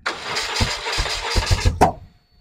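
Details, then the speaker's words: BMW R1100R after fitting a replacement Hall effect sensor whose bolts had vibrated loose: engine cranks with irregular sharp pops and bangs, never catches and dies; HES alignment and timing suspected off. "you can hear it popping and banging and that makes me think the timing isn't quite right"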